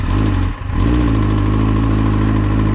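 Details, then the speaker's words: Triumph Daytona 600 motorcycle after flush additive added: steady idle with short throttle blip and light metallic rattle; earlier power loss and rising temperature, owner suspects top-end damage, was not rattling before. "all right i've got a bit of a rattle there right"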